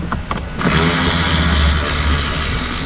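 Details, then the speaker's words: New universal replacement blower motor installed after the old one's brushes wore out: spins up quickly into a smooth steady rush of air, no squeal or rattle; bearings and bushings good. "Boom. Bearings and bushings are good."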